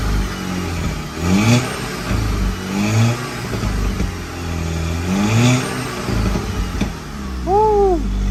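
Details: 2012 VW Golf GTI Mk6 turbo four, after installing catted downpipe: steady low idle, smooth even firing, a couple of light blips, no knocking or rattling; owner says it sounds good, normal idle.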